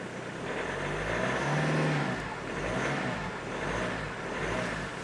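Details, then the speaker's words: Hyundai Santa Fe I 2.0 CRDi diesel, restarted and left idling; tank still needs cleaning of unknown paint-like contaminant; steady running with gentle rise and fall, no knocks or misses; healthy. "Samochód odpala, ja go tak zostawię na chwilę, niech sobie popracuje."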